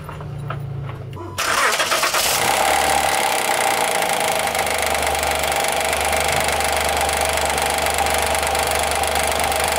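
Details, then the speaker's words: 2016 Honda Pilot III, J30A9 petrol V6, started cold: strong rapid knocking from a timing belt tensioner that does not extend fully, letting the roller jump; knock fades after 2–3 minutes warm-up; fix is tensioner replacement. "Натяжитель должен выйти полностью и прижать. >> Ага. >> То есть сейчас вот, если сюда подставить отвёртку плоскую, стук пройдёт полностью. Что ролик, видишь, прыгает."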